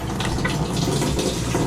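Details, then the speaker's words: Washer in test mode after replacing water inlet valve to fix LF/F8/E1/LO/FL error codes; cold water fill gives strong, steady rush with no valve chatter or hum; fills normally. "All right, let's test it. Cold water. Very nice."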